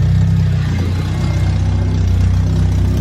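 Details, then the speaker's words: K20 engine swap on its first runs, with a makeshift exhaust and an O2 sensor bung left unplugged and open. Deep, loud rumble with a rough, uneven puffing chuff riding on it as it revs. Exhaust leak from the open sensor port. "I was like, whoa, that's a new one. That's a new one. Oh, that is the exhaust leak."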